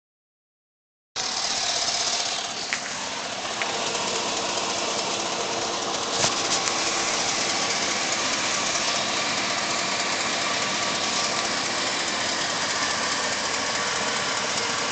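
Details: Warm engine at operating temperature idling with bright clattery knock about four per second over hissy running sound, driver's side; cause unknown.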